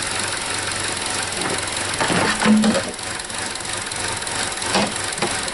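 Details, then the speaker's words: 2017 Chevrolet Trax, 1.4L LUV, code P0171 (fuel trim lean); engine running while checking for a vacuum leak, none heard or felt; uneven, lumpy idle with stumbles; rough idle. "she sounds a little rough but anyhow i don't hear or feel any vacuum there"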